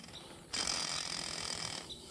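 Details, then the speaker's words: Tesla Model 3 rear drive unit teardown after a sheared differential keeper pin failure at about 100,000 miles: a hand-spun gearbox bearing gives a dry, gritty rattle and hiss instead of a smooth whir, badly rough. "you can hear the bearings there there's a couple of them they're pretty bad one of them you spin it and it'll spin for a year just by hand yeah that one's pretty rough"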